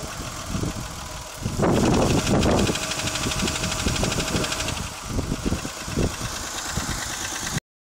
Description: 1991 Toyota Camry engine knock after over heating.